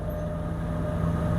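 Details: Toyota Hiace 3L 2.8 diesel cruising at about 100 km/h after differential work: steady, even, unstrained low drone with no gear whine rising over road noise; normal highway cruise.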